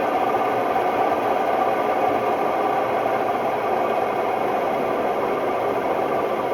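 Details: Hotpoint Ultima WMD960 washing machine, recently acquired, fast test spin: loud constant roar with harsh grinding rumble, no letup; worn drum bearings.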